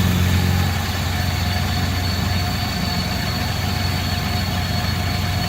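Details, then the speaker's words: 1979 Lincoln Continental Mark V V8 after freeing stuck valves, last one still slightly sticky: even low burble settling to a steady idle, no misses or knocks, smoother than ever; normal idle. "Yeah! A lot smoother than it ever did."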